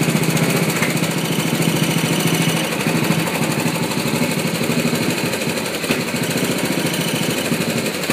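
Small single-cylinder mower engine running rough and uneven, with stumbles breaking its beat; it's misfiring, cause not yet pinned down.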